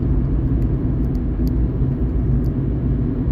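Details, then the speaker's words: Fiat 500 with random multiple cylinder misfire code (cylinder 4), on a test drive after the fix: smooth even low rumble under road noise with no stumbles or missed beats, no dashboard lights; normal running, misfire resolved. "Okay, so I'm taking it out for a spin and it seems to be running really quite nicely."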